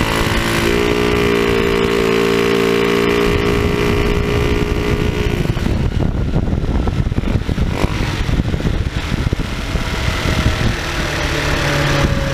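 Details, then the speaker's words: TaoTao scooter with a cone air filter replacing the stock airbox: buzzy single-cylinder idle, then a harsh, raspy roar on throttle blips that sounds like a bad exhaust. The stock filter was put back on. "so I didn't really like the way that sound it it just sounds like it's got a bad exhaust with this thing so we're taking this filter back off and I'm going to put this one back on"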